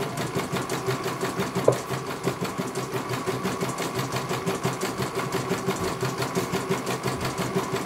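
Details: CNY computerized embroidery machine on a test run after a service for a motor that had not turned at all. Quick, regular needle ticking at an even pace with one brief click, no grinding or clunks. It finishes one color and is judged very good.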